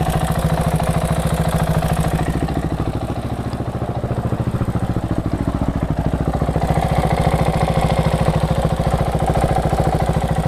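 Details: KTM 690 SM, LC4 single-cylinder at warm idle: crisp even tick three or four per second tracking the engine beat, only when warm; owner suspects cam chain tensioner; now on Motorex oil, previously Amsoil 10W-40.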